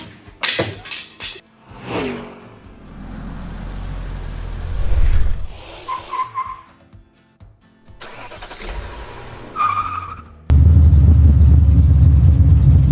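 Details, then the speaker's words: 1966 Chevelle V8 with open headers, just back on the road: loud, uneven, loping idle with a stumbling beat like a cylinder dropping out; engine misfire, a wire off at the header suspected. "Oh, it's for sure missing. Must have a wire on the header, >> I think."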